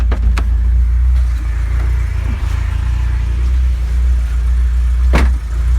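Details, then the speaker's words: 1991 Vauxhall Nova GSi original 1.6 8-valve, cold start after long off-road, fresh fuel into empty tank after old fuel made it run rough; steady even low idle, no misses, few light clicks, good oil pressure; normal cold-start idle. "oh wow that is running absolutely sweet just focus the camera there we go see last time i started it was running really really really rough and it obviously was because it was old fuel but that is now running pretty spot on"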